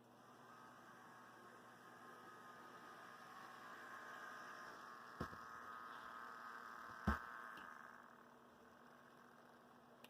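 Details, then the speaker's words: Athearn Blue Box F45 model locomotive re-motored with a 280 carbon-brush motor, replacing the FF-180: faint steady whirr swelling as it passes and fading, only mild gear growl, no binding or clicking; normal. "that's the sound i want to hear i i want your only growling gears"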